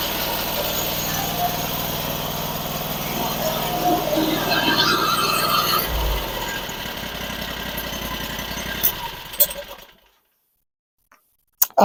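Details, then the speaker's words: Sawmill engine (larger than original) after replacing a bad bearing, running unshrouded for a minute: steady, even engine note with no knocking or grinding for about ten seconds before shutdown; sounds like new, normal running. "can tell you right now that sounds 100% better actually sounds like it did when it was brand new except it's got a lot bigger engine on it"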